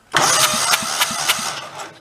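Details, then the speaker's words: Junk donor engine for a 2000 Terramite T5C backhoe, cranked with the spark plugs out. Puffs come three to four a second, with a softer beat among the strong ones. Weak compression on one cylinder is suspected, not yet confirmed. "that one the one on this side is weak you can even hear it it sounds different"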